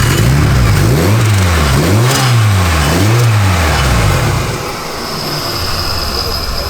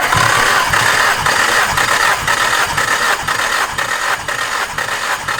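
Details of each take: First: Turbocharged car, hood open, engine hot; revs rise and fall then thin high whine with metallic scrape at idle, lots of turbo shaft play; compressor wheel rubbing housing, metal on metal. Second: Car compression test, plugs out, everything unplugged; even cranking about two beats per second, reading 150 psi on this cylinder after 100 on the first; normal cranking.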